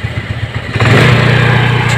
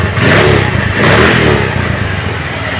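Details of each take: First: Suzuki Spin scooter, before carburetor repair: an uneven idle, then a quick throttle blip; the revs hang high instead of dropping straight back, only settling later. Mechanic suspects a scratched, sticking carburetor vacuum slide. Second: Suzuki Spin scooter after repair of a sticking carburetor vacuum slide: a short throttle rev drops cleanly back to an even idle. Before repair the revs hung after releasing the throttle, as if the cable were stuck; now it returns properly.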